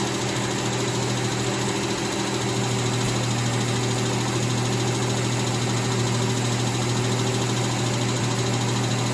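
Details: Freshly rebuilt, reinstalled 1989 Mitsubishi Montero (Gen 1) engine, idling fairly smooth after distributor timing adjustment. A light, fast, persistent tick rides over the idle; the engine was torn apart again.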